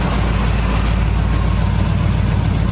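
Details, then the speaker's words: 1976 GMC Sprint after sitting about 15 years, on first test drive: deep steady idle rumble, even pulse, no ticks, knocks or stumbles; normal idle, no overheating or leaks. "This thing is runs pretty good. It's been sitting up that long."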